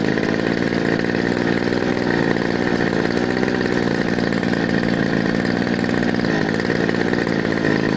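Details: Two-stroke brush cutter that was hard to start, after cleaning a very dirty spark plug with gasoline: steady buzzing note at even speed without stumbles or cut-outs; normal running.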